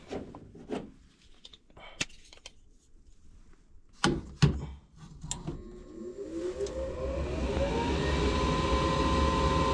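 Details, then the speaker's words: Furnace (heater) after replacing the inducer motor, customer had reported loud screeching and no heat: a few clicks, then the new inducer spins up with a rising hum and settles into a smooth, steady whir; normal running. "this inducer is it space so this inducer is spinning so fast that like it looks like it's not moving"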